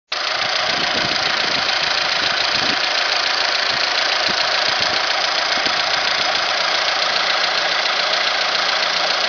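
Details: Alfa Romeo 156 idling steadily with a hissy top end and a light, fairly regular tapping three to four times a second; owner suspects the variator, not confirmed.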